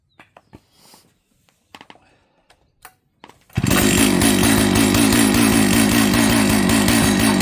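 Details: Jonsered 930 project chainsaw restarted at high idle, with a suspected loose spark plug spring connection: fires after a few handling knocks, then holds a steady, even two-stroke buzz without stalling or surging; normal running.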